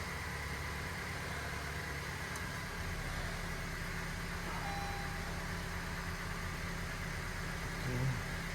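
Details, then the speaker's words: 2017 Honda 1.5 turbo with check engine, VSA and emissions lights, hesitating: slightly uneven, choppy idle from a cylinder 2 misfire; ignition coil suspected rather than injector. "por lo visto tenemos un Miss fire en el cilindro dos creo que vamos a yo creo que Aquí el problema es bobina"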